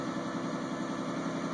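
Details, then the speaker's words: 2001 Isuzu Rodeo restarted after cleaning the EGR valve, EGR tube and throttle body: steady, smooth idle sitting slightly high, likely from leftover throttle cleaner in the intake per owner, with no stumble. Normal idle. "The engine's revving a little bit, I think, because there's probably some throttle cleaner left in the intake, but should be good to go."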